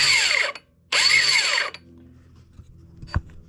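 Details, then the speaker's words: Suzuki GS1000 SN cranked: two short high-pitched whirring bursts winding down freely without engine turnover; starter clutch behind flywheel slipping, rusty, not grabbing. "Sounds pretty bad. So, what we're going to do is uh take off the flywheel. And check out what's causing that to just spin around and not grab."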